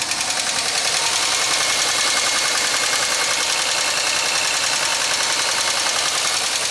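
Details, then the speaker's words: 2003 Pontiac Grand Am GT project car at idle, just off the trailer, still drives: fast, sharp, high-pitched ticking around 158 per minute from the upper end. Owner suspects lifter noise, not rod knock; considers new cam and lifters. "all right so i think that's lifter i think that's a lifter noise i think that would be a whole lot worse if it was a rod knock"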